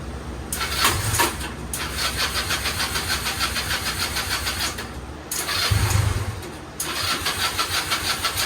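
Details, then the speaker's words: Restored go-kart small engine on first start after rewiring and fresh fuel; catches after cranking, then stumbles and surges unevenly, dropping out twice; owner suspects the carburetor is running rich after a loud pop while starting. "Alright, so it started up, but it's not running too well."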